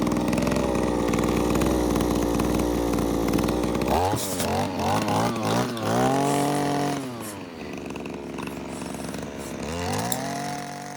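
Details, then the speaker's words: JCB petrol hedge trimmer, two-stroke, after fuel pipe repair: steady high-speed buzz, then crisp clean revs with no misfire; idles nicely, little smoke, runs healthy. "it's running fine by itself sticking over nicely not much smoke"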